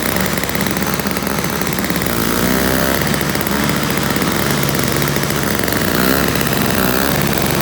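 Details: Toro CCR1000 3-horse single-stage two-stroke snow blower, after cleaning a gummed-up carburetor jet and removing string from the paddles: steady even drone holding speed pushed into snow, no stumbling or surging; normal running under load.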